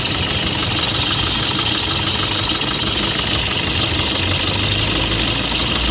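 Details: Toyota Vigo pickup after replacing the failed alternator overrunning clutch pulley with a genuine part: even idle under a loud hiss, no chirp, squeal or rattle from the front pulleys; sounds healthy.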